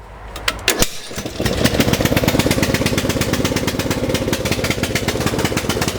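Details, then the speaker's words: Lawn tractor, single-cylinder Briggs & Stratton engine; choke stays on even after throttling back, so it runs with a steady lumpy beat, never revs up properly, running rich. "So you can see there, the choke's always on, it just will not rev up to where it should."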